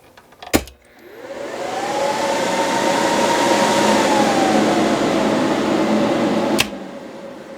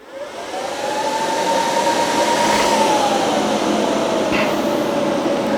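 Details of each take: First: 4-pill BLF188XR LDMOS amplifier after fitting a HushMat-lined chamber with hard 90-degree air turns: fan spins up to a soft steady whir; roughly 85–90% of the fan noise removed. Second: 4-pill BLF188XR LDMOS amplifier with 48 V power supply: steady airy rush rising then easing; stock cooling fans are very noisy and coarse even at low RPM.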